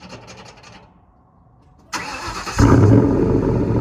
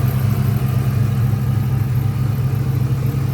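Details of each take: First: 2004 Ford Mustang Mach 1 V8, stock exhaust with Borla cat-back, cold start after sitting: starter cranks briefly, engine catches and settles into a fast, even, deep rumble, normal cold-start high idle; check engine light on for lean code. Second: 2004 Ford Mustang Mach 1 V8 idling cold before reaching operating temperature, thermostat replaced with engine install: deep uneven loping idle about twice per second, no clear hiss; rough idle, owner suspects exhaust or vacuum leak or bad O2 sensor.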